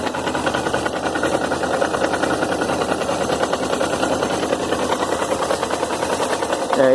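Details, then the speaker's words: Suzuki GS 500E idling with a fast, even ticking rattle; the noise appears at idle and disappears at high revs; source unconfirmed, suspects include the cam chain tensioner. "a lenta a lenta ela aparece na alta o barulho não aparece"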